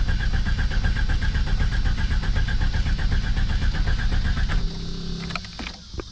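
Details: 1991 Jeep Cherokee Briarwood being revived, with a newly installed battery and low fuel: starter churns evenly about four pulses a second for four seconds but it never fires. Crank, no start; cause not confirmed.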